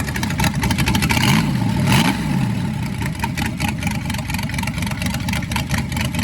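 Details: Rebuilt Ford 289 V8 during cam break-in, timing set a little high at first: lumpy fast idle with a couple of brief rev rises and no knock or tick, sounds normal; the cam was later found eaten up.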